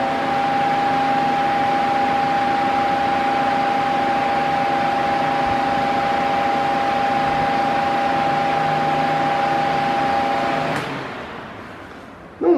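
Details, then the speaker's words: Mondial Maxi Power 40cm 140W V-40-B fan running: steady fairly high motor hum clearly audible above the airflow rush until switched off; motor noise judged a drawback. "sei se deu para escutar mas eu escuto o barulho do motor tá então você escuta o barulhinho do vento mas do motor também né então isso daí eu não acho legal tá"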